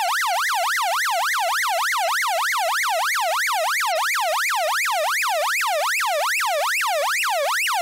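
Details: Early-1970s 6A/12860 stall warning tone generator from an Avro Shackleton, recorded by direct connection after reverse-engineering: a clean warbling tone sweeping up and down about three times a second, steady and even; it works properly.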